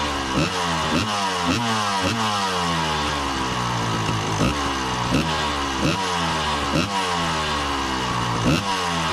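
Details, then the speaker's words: 1990 Honda CR250 two-stroke dirt bike after carb idle tuning: steady idle burble with even popping, no hunting or misses; running a lot better than before. "So, I just ran the bike and tuned the carb a little bit on the idle, and it's running a lot better now."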